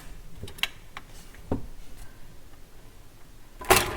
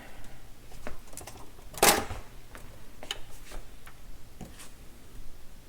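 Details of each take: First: Garrard M50 turntable under repair for no auto function: platter spins, record drops with a few dull clunks, then the auto cycle immediately stops instead of completing. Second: Garrard M50 turntable after repair of the automatic function: irregular light clicks and ticks with one sharp clack as the arm cycles and moves into position; auto mechanism indexing properly.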